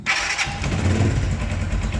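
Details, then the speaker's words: Blackbird 250 single-cylinder engine, first start after repair of a cylinder seized apparently from running without oil; cranks, catches quickly, settles to a steady even idle with no knocking or ticking, strange noise gone, waiting for oil to lubricate. "Sí bueno Sí definitivamente si se le quitó pero vamos a esperar a que trabaje el aceite que lubrique"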